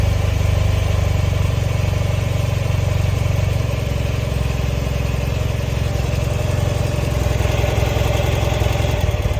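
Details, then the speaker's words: 1974 BMW R60/6 boxer twin, very cold start on choke: deep, even thump settling into steady cold idle, no knocks or rattles, running smoothly. "Maybe she needs some choke. Now let's try it. Good old choke. Not bad."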